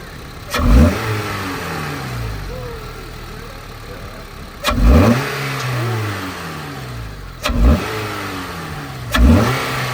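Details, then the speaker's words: 9th-gen Honda Civic Si, warm, just fitted with a new intake (airbox removed, intake loosely placed): four quick throttle blips from idle rise cleanly and drop straight back with no stumble or hiss; normal, healthy revving, sounds more aggressive. "it sounds good? It sounds good. Yo, guys, listen to that shit."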